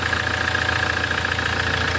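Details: 2008 Land Rover Defender 2.4 Puma diesel at idle after injector work, plus oil, air and fuel filter service. It had heavy breathing chuffing out of the oil cap, blamed on injector blow-back. It now idles with an even, steady light clatter and no misses. The filler no longer spits oil.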